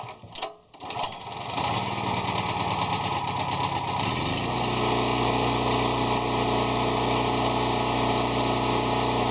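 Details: Champion generator after pull-cord repair: after some pull-cord scuffling, the small engine catches and settles into a steady, even buzz that holds its speed; runs fine.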